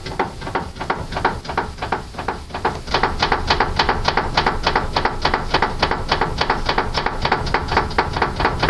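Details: Car steering with tie-rod boots removed and tie rods found fine: sharp, rapid, dry knocking about three to four times a second. Steering knock; owner suspects it comes from inside the rack body.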